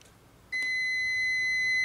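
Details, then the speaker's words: Multimeter continuity test on a wire: once the alligator clip touches the bare wire end, a steady high beep starts half a second in and holds without a break; the circuit is closed and continuity is confirmed. "we did not have continuity but now that I got this clip right there and it's touching"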